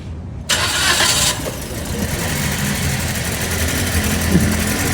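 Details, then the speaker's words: Toyota Vios Dual VVT-i, fuel pump and spark plugs already replaced without fixing it; starter cranks, then a rough, lumpy, shaking idle; severe misfire at idle, cause not yet found, coils and compression to be checked. "Yan, yung tunog na mga kadadudes, palyado yan. Sobrang palyado lang."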